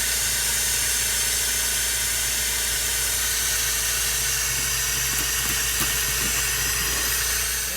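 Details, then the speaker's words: MCI 9 bus air brakes: a loud, steady, high-pitched hiss of escaping air throughout, with air also leaking from the bottom of the inversion valve. Torn DD3 brake chamber diaphragms are blowing air straight through. "The DD3 diaphragms are bad. Which we knew they were by the way it was blowing air through there."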